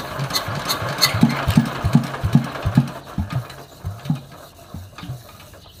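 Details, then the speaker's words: Yanmar TF115 LM single-cylinder diesel, hard cold starting before repair: uneven, lumpy chugging about two and a half beats a second that fades and stumbles; very hard to start, mechanic to inspect pump plunger, injector and delivery valve. "โอเคครับติดยากมากเดี๋ยวยังไงเดี๋ยวลองดูลูกปั้มดูหัวฉีดวาล์วปั๊มเดี๋ยวยังไงเดี๋ยวลองถอดออกมาดูครับ"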